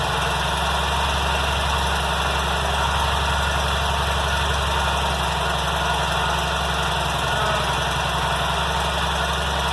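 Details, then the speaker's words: Kohler M18 twin on 1990 Cub Cadet 1882, rough-start repair after muffler fix, new air and fuel filters, new plugs and fresh fuel replacing stale watery gas: steady even low idle, starting better, only faint roughness left. "Well, that sounds better. That's the starting a little better."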